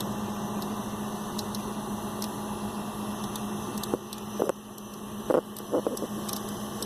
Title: Computer Clicking Sound Noise (what is it?)